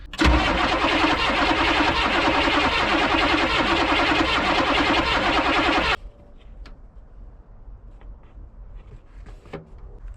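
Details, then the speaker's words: 1986 Chevy 1-ton dually Squarebody with swapped 6.2 Detroit diesel, sat 22 years: steady starter cranking about 2.5 turns a second for six seconds, never catches; only air bubbles from bleeder screw, fuel barely coming, suspected fuel supply problem. "I've been cranking on this thing for a while now and I think we may have another issue that fuel is barely coming out at all we should have fuel by now"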